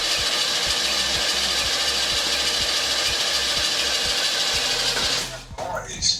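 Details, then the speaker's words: Oldsmobile, the starter failed to disengage after the engine fired, giving a harsh, continuous metallic grinding over the running engine that cuts off abruptly; the starter is staying engaged, cause not confirmed. "Did the car start? Yeah, it started and then I turned it off cuz the the starter was grinding."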